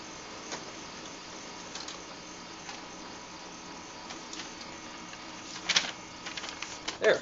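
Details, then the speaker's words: HP LaserJet 2200DN after fixing the common high-pitched squeal from the scanner motor, during a function test print: a soft even hum with clean clicks as paper feeds in, no squeal; printing is back to normal. "that sounds a lot nicer now sucking in paper"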